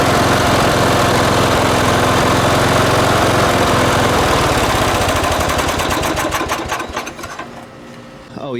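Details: Late-1980s John Deere RX95 ride-on mower rescued from the curb, first run after the fuel line was connected to the carb: even, steady small-engine beat of about four pulses a second, then it winds down smoothly and stops. The engine sounds healthy.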